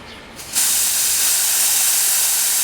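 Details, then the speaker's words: Weather King air conditioner, before vacuum and blank-off: a sudden loud, steady hiss of gas escaping at a fitting with no mechanical noise; refrigerant leak on the delta P side. "See that thing taking off to the races? That's a leaker on that delta P side."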